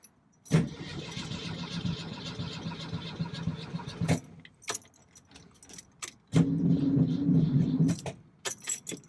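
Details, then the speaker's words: 1965 VW Beetle that had been sitting, battery okay: the starter whirs steadily in two bursts several seconds long with keys jingling between; the engine turns over well but never fires and then sounds bad. Owner suspects a bad connection, planning to rewire the ignition from firewall to starter. "turns over good then I try it again and it sounds really [Music] bad then it does that nothing so I got a bad connection somewhere"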